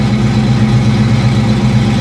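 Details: 1989 Ford Mustang LX 5.0 convertible, sat 3–4 years, after replacing a fuel filter full of rusty gas, fuel pressure about 38, in neutral: steady, even idle with a smooth low rumble and no stumbles. Sounds healthy, not dropping fuel.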